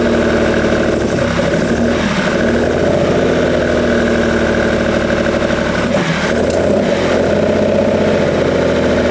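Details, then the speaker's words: 1971 Lamborghini Espada Series II V12 barn find, long stored, running with a split carb fuel union: a steady, even idle with a smooth, unchanging hum and no misses, knocks or ticks; surprisingly quiet and placid. "hey listen to that herself so so quiet and happy the sweet little Italian kitten that is amazing sweet is it really really nice wow I wasn't expecting it to be quite this Placid"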